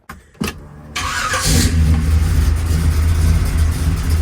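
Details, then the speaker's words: Chevrolet Malibu with freshly rebuilt engine and nitrous kits, cold start: quick crank, fires right up and settles into a deep, even, steady idle; sounds healthy even cold. "And that's cold, [Music] too. Sounds so good."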